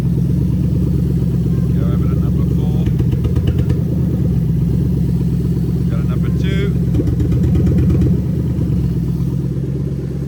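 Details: Lexus SC430 3UZ-FE VVT-i V8 on IS200 swap harness, warmed just over cold, idling about 1000 rpm while injectors/coils are unplugged one by one: uneven, lumpy rhythm with recurring stumble; induced single-cylinder misfire.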